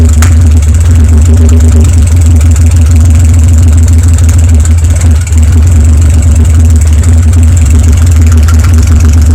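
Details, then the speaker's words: BMW N52 (N52N) idling with the exhaust removed to check for restriction, showing misfire on cylinders 4, 5 and 6; loud, deep, uneven, lumpy idle with backfiring into the intake. Broken exhaust camshaft and destroyed catalytic converter; valves seemed OK. Engine misfire. "Very loud ehaust is off was checking for restriction back firing to intake sound"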